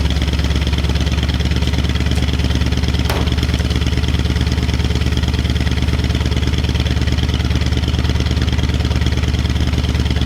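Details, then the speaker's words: 1965 Mustang with completely rebuilt V8, cold start at about 45°F, plugs checked: deep idle with uneven loping pulse and slight shake; owner suspects the old carburetor and expects to replace it, not confirmed. "okay guys everything's sounding good uh we're still getting a little shake at idle but i really think it's just this carb here"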